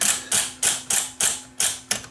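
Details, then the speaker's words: Viking SC5894 8-track cartridge recorder on the bench, with the track-change solenoid triggered by a screwdriver jumper: sharp mechanical clacks about three per second over a faint steady hum as the head moves up and down; normal solenoid operation. "front of the machine. And you can see what it does. It moves the head up and down."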